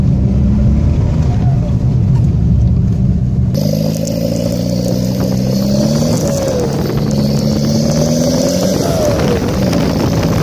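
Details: Seat Toledo 1.9 TDI diesel revving with loud, deep, raspy exhaust note and a pop on throttle release from a rusted-through, broken-open exhaust pipe; exhaust leak.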